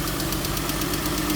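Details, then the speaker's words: Jeep Grand Cherokee, probably a 2017, likely 3.6 Pentastar DOHC V6, idling with a light, fast tick of about eight a second over the engine hum; valvetrain tick, and the mechanic hopes the cam can be saved. "Uh-oh, I hear it. I can hear the ticker."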